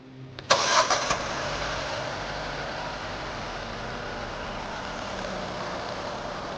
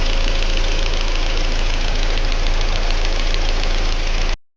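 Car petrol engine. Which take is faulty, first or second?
second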